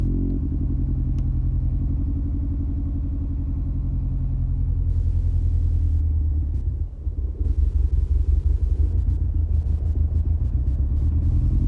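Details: 2003 Mini Cooper S R53 pre-facelift supercharged petrol, cold start with lumpy uneven idle misfire, check engine light on; caused by a bad tune and rusty coil terminal; often cleared by restarting.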